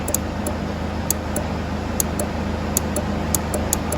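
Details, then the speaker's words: 2011 Isuzu D-Max with crank, no start: sharp, irregular relay chattering about twice a second, from the red-dotted relay, over a steady drone. Cause not yet known. "If you can hear that relay in there with the red, sorry, I'm blocking my own light, here with the red dot on it is what's giving me that clicking."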